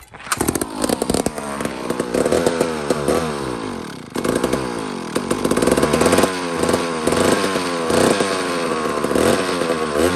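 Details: Mac 142 chainsaw, long unused, after flywheel removal and points set, with a small slurp of fuel: rasping two-stroke note surges up and down and never settles; spark restored, owner suspects the carburetor.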